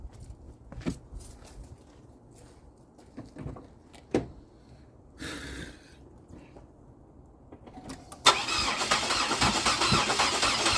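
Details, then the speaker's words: GM 3800 V6 after coolant ingress, about 37°F, front three spark plugs out (flooded) and ignition fuses pulled, battery low: fast, even cranking whir with no firing, blowing liquid out of the cylinders. "I'm just going to crank it to blow out whatever's in the cylinders now the ignition fuses are out uh so let's see what comes out of this thing camera is running"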